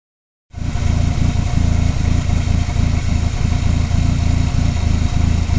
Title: conquest rough idle